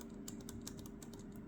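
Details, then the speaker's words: Picking a Medeco lock: faint, sharp clicks about every fifth of a second as the pick runs under the pin, meaning the pin is not binding or is set at the correct gate. "when you have a correctly set pin or when the pin is not binding you'll hear that clicking and that clicking tells you that the pin is either not binding or has been set to the correct gate"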